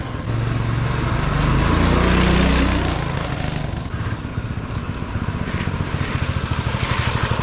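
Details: Free 1970s Bonanza mini bike fitted with a new engine and a newly made exhaust; it revs up for a few seconds, then settles into a steady, even thump at low idle with no misses or knocks. Sounds healthy.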